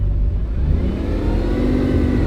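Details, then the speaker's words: Wrecked Bugatti Chiron Pur Sport with a broken radiator, low coolant, very low fuel and many fault codes, revving: deep, rough exhaust roar with an uneven, stumbling throb; misfiring, cause not found. "Yeah, it's definitely misfireing as well."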